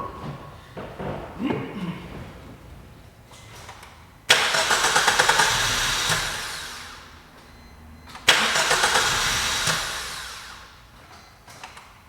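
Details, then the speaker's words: 2017 Suzuki Swift, towed in as a crank no start: two even cranking bursts of about four seconds at a steady starter rhythm near three beats a second, never catches; cranks but won't start. "as you've seen the customer was definitely not lying this was or is a crank no start"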